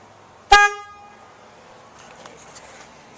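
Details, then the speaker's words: 2003 Honda Element after horn replacement, front bumper refitted: one short clean steady low-tone honk, no rasp; much better than the weak old horn though not very loud. "so that's loads better it actually sounds like a horn now so it's not the loudest horn ever it's not a 18wheeler semi horn"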